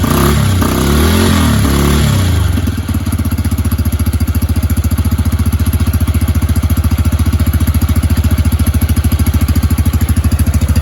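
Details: Yamaha YBR 125 started from cold after MOT work: a brief rev on starting, then it settles into a steady, even single-cylinder putter of about three and a half beats a second; normal cold idle.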